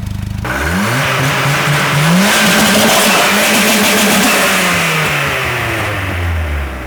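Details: 740 turbo engine revs up and falls back with an uneven, stumbling exhaust beat. A weird misfire, cause not yet known.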